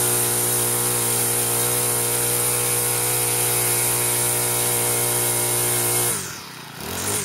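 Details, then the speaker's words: Troy-Bilt four-stroke weed eater after clutch repair, cold on half choke, likely original oil; steady high buzz with a thin piercing whistle on top, holding even speed until it cuts off; runs really good. "well sounds just fun to me my left ears a little deaf now that whistling really high makes my ears ringing afterwards"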